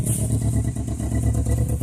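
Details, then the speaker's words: 2002 Toyota Corolla LE 16-valve with a bad motor: lumpy idle surging and stumbling about every half second, engine shaking, cause not confirmed; rough running. "takes forever to start wouldn't even let me it won't doesn't even let me push the throttle now that motors shake holy holy"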